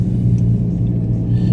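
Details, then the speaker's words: 2014 VW Golf 2.0 TDI EA288 diesel on a test drive after repair of long first-start cranking (P0341/P0016/P0011): steady, deep, even rumble with no knocks or misses; normal running. "let's see. Well, it actually runs very nice."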